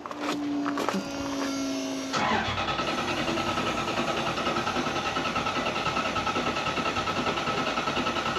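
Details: Toyota Celica with 1UZ V8 on a new untuned ECU: starter whirs then cranks steadily about three pulses a second but never catches; needs tuning; crank no start.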